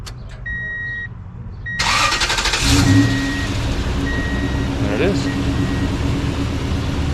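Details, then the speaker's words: 2002 Toyota Tundra after fuel pump replacement and bed refit: quick crank, catches right away, then settles into a steady, even idle with no misses or knocks; runs strong. "running strong runs pretty strong"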